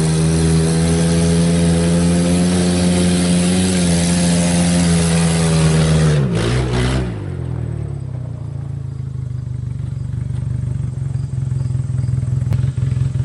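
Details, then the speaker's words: 1996 GEO Tracker with low power, driven with the oxygen sensor removed: loud, raspy engine note pulling up through the revs then dropping away, exhaust leaking from the open port; louder and maybe slightly more power, catalytic converter apparently not the problem, fuel suspected. "may be run a little bit better and have a little bit more power but then again maybe that's just because it's making more noise"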